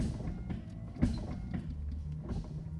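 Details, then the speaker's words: Nissan Xterra in IPDM/ER auto active self-test mode: low motor hum with soft thumps at each sweep, pace changing as the wipers step through different speeds; normal operation. "You'll see it just started the windshield wiper test, so our windshield wipers are going. Different speeds."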